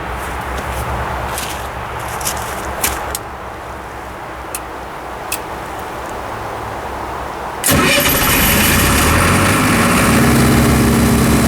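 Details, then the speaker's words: Military surplus diesel generator after years in storage: cranking clatter, then catches and runs steadily, reaching almost 260 volts; on releasing the start switch it trips on overvoltage and shuts down; suspected voltage setpoint too high. "as you can see right there the generator started right up with no problem and came up to two hundred and almost two hundred and sixty volts that time and as soon as I released the start switch the over voltage light came on and the generator shut itself back down"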